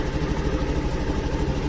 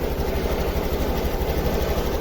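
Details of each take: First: Honda Activa 6G scooter after oxygen sensor replacement, slightly warm with multimeter showing correct readings: soft, regular putter at idle with an even beat and no misfire or tapping; running fine. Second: Honda Activa 6G scooter with missing and hesitation complaint, just started for scanner data stream check: uneven, lumpy idle, roughly 105 pulses a minute, skipping now and then; misfire traced to a faulty O2 sensor.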